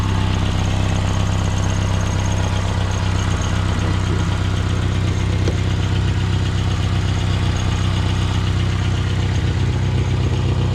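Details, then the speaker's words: 2016 Outlander at idle: a quick regular puffing tick, about four per second, over the engine hum. Exhaust leaks at the resonator, after the sensor, so it is judged no problem. "There is a leak, but it's after the sensor. It's with the resonator, so there's no problem."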